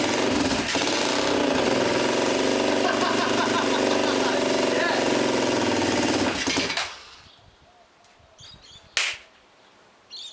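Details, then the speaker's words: Restored Honda single-cylinder farm bike, fuel tank just refitted: loud, rough clatter about four beats a second holds on hand choke for six seconds, then falls away and dies; won't idle without choke. "just a tickle uh the hand choke hand choke that sounds better oh"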